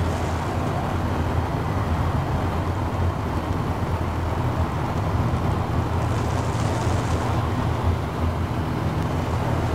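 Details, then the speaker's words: 1970 GMC Fleetside pickup, 350 V8 with Turbo 350 automatic, driving down the freeway: even, steady V8 drone under road and wind noise, no knocks, surges or misses; runs smooth, normal cruise. "Nice and smooth. Now you'll be able to check out the other side of this truck, see how it looks driving down the freeway. As you can see from the drive, it drives great."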